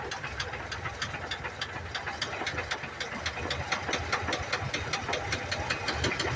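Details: 1982 Ford F-100, 3.8L V6 with carburetor, auxiliary-pump fuel leak just fixed, three-speed column manual, hood propped open at idle: sharp steady knocking about two and a half times a second over idle; owner says rod knock.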